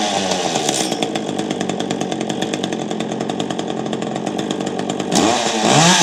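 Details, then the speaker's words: Free Echo chainsaw running after only pumping the primer bulb and choking, no repairs; crisp even firing then clean rev pickup; normal running. "okay so as you saw I got the chainsaw running"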